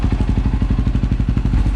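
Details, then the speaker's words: KTM 530 EXC-R after Dirt Tricks manual cam chain tensioner replaced factory tensioner known for cam chain slap; idles almost silent with an even quick thump, no clicking or clacking, normal healthy idle; cold December upstate New York. "it was almost silent hardly doing any kind of vibrating no clicking clacking the tensioner's doing what it's supposed to do"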